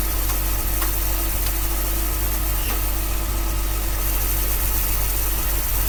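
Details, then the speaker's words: 1966 Dodge A100 van, 225 CI Slant Six, cold after long sitting, running with jumper wire bypassing factory wiring to coil: low, even idle, steady beat, no misses; carburetor accelerator pump not squirting; normal idle. "okay cool just connector jumper that's running pretty good"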